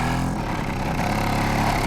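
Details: Di Blasi folding moped two-stroke after carburettor cleaning and wiring repair, cold weather: ticks over slowly and unevenly, near stalling; idle speed set too low, then raised.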